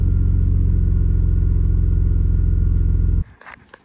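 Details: BMW E34 with M50 engine after fuel pump replacement fixed a no-start; smooth, even low idle with steady firing rhythm for about three seconds before cutting off, stable idle.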